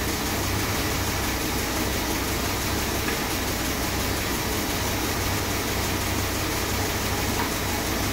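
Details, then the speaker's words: 1966 Chrysler New Yorker with a freshly rebuilt 440 big-block V8, first start after installation: the engine settles into a steady, even idle with constant hiss and fan noise and no knocks or misfires. Normal idle. "she's running sweet it's amazing my first rebuild she sounds Lush nice"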